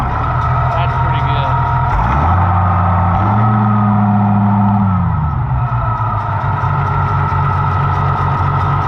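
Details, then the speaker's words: Oliver 1650 tractor that would not stay running, restarted after ignition timing was adjusted: brief rising rev then steady even idle; runs healthy. "i think it'll be for the better let's start it up again and see how it starts now"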